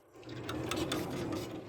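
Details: Renault Trafic II sliding side door after repairing its roller guide with three 3D-printed replacement bushings for worn originals: short, smooth rolling slide with few light clicks, no grinding or binding; runs freely.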